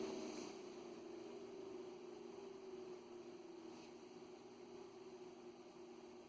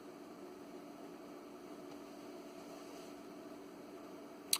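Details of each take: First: Ameritron ALS-600 amplifier power supply, original cooling fan running before replacement with a Noctua fan: steady airy rush with faint whistling tones at constant speed; the fan is noisy. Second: ALS 600 solid-state linear amplifier power supply (late 1990s, about 20 years old) after replacing the noisy original fan with a Noctua NF-A8 PWM: faint, even airy whir with no rattle, buzz or roar; much quieter.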